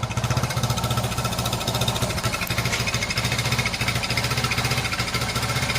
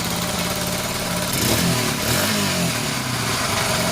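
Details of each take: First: Restored Honda XL100S on a cold day with a new genuine exhaust and newly replaced rear light lens; a light metallic rattle from the loose rear light rides on each beat of the lumpy cold idle. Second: Restored Honda XL100S on a cold day with a brand-new genuine exhaust fitted, idling evenly then taking a short blip of revs and settling back cleanly; sounds very different from the old exhaust, normal healthy running.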